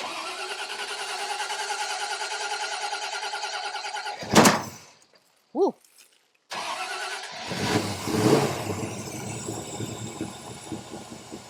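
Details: 1968 Mustang Fastback with Holley Sniper EFI 2, after new MSD 8202 ignition coil installed: steady, even run, brief cut to silence, then the V8 fires promptly into a smooth idle; normal start and idle.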